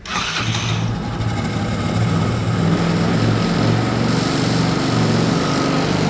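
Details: Motorcycle after clutch replacement (old parts removed) starts and settles into a steady, smooth idle with an even beat and no clatter; normal running.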